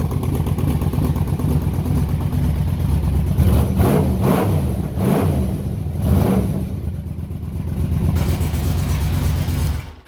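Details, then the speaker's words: 2006 Yamaha Vmax, liquid-cooled 1198cc DOHC 70° V4, at a deep rumbling idle broken by several sharp throttle blips that rise and drop cleanly through a loud free-flowing exhaust; strong, healthy engine. "It definitely sounds like there's top fuel dragsters when they're sitting on the line getting ready to launch."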